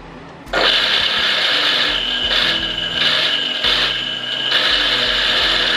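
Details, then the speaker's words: Nasional-brand water pump that won't lift water, switched on: harsh gritty hiss and grind over a steady motor hum; rough-running, worn bearings, to be replaced before the seal. "Titik jadi kita mau periksa bearing depan dan bearing belakang sembari ngelihat posisi silnya masih layak enggak kita perbaiki Soalnya kalau kasar kayak gini kita harus ganti bearing"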